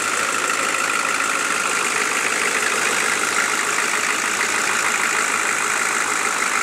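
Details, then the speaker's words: Chevy 6.5L diesel with new transmission, idling once a little warm (fine cold): light sharp ticking on top at about two to three per second; owner suspects a valve or rocker arm needing adjustment, unconfirmed. "It just kind of, after it gets a little warm, it gets this little knocking sound going on in it. I'm not really sure what it is."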